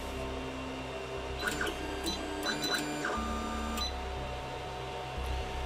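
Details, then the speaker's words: AnyCubic i3 Mega 3D printer: short, irregular electronic beeps and chirps over a steady fan hum; unexplained intermittent beeping present since first use, though it printed fine. "You hear beeping right now."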